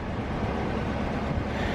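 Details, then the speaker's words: Car with check engine light, scanner reading code P0302, misfire on cylinder 2: uneven low rumble with an irregular stumble at idle, running a little rough; cylinder 2 misfire. "so under to misfire that's what I was saying we're running a little rough there"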